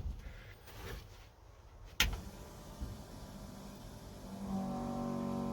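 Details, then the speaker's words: 1985 Chevy C10 with ZZ4 350, new fuel pump first installed backwards and then re-plumbed: after a few clicks a steady, even electric hum rises and holds; the pump now runs normally and feeds fuel to the carburetor. "Oh yeah, that sounds better. That's the way it's supposed to sound. We got fuel going to our carburetor now, so she ought to start."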